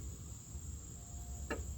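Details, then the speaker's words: 2006 Chevrolet Malibu Maxx LTZ 3.5L with P0449/P0455 EVAP codes after repairing two broken wires: one crisp click as the vent solenoid is switched on; normal EVAP vent solenoid click. "Oh, wait a minute. You can hear the solenoid now clicking on and off. So, it's on now."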